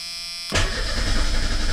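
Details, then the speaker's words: Merkur XR4Ti after starter replacement, TFI module unplugged, battery sat about six weeks: strong, even cranking churn with no grinding or whine, 50 psi oil pressure while cranking; starter healthy. "sounds pretty good all right not bad 50 psi cranking over with a battery that's uh been sitting for about a month and a half"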